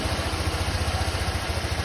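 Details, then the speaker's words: Honda Click 125 V2 scooter after overhaul, engine still cold, coolant being bled from the radiator: smooth, regular low thrum at idle with the former metallic grinding gone; quiet, healthy engine. "Hindi na siya tunog bakal na nagigiling mga sir."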